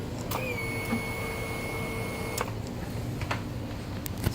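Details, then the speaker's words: Scooter that wouldn't start because a green wire had popped out of the harness, after the wire was pushed back in and the starter motor repaired: at key-on a thin steady whir runs about two seconds and stops cleanly; normal fuel pump priming. "I pushed it back in and just checked it now and if you can hear it but when I turn the key you can hear the fuel pump working now so"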